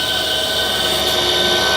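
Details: 12 V DC air conditioner compressor after replacement, running first empty at about 13–15 A, then with amps rising as load builds: steady even high-pitched motor whine and smooth hum, no knocks or rattles; healthy running.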